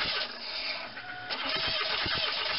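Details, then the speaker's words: Crank-no-start on a 2.4L Quad Four Pontiac Grand Am after a starter replacement: starter spins the engine in steady pulses but it never fires; no fuel evidence on the plug, caused by the crankshaft position sensor (behind the starter) left unplugged. "after changing out the starter this Grand Am would crank but not start and what I discovered when I retraced my steps is that I had to pull the wiring out of the crankshaft position sensor"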